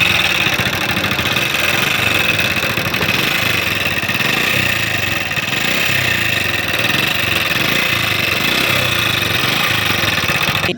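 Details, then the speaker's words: Honda CD70 motorcycle, engine running hot, oil level fine and kick compression good; with tappet cover off, no oil reaches the top end; loud sharp tappet clatter at idle; top-end valvetrain noise from oil starvation. "अब इसको स्टार्ट करते हैं, यहाँ से ऑयल आता है नहीं आता। ये देखें, इंजन में से ऑयल बाहर नहीं निकल रहा।"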